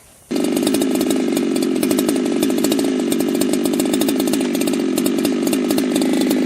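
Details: Ported chainsaw at wide open throttle, air filter off, on a cool, humid day. The wireless tach reads about 11,000 rpm. It holds a steady high scream with a burbling, blubbery edge instead of a clean howl. The high-speed mixture is rich; next step is leaning the high screw about half a turn.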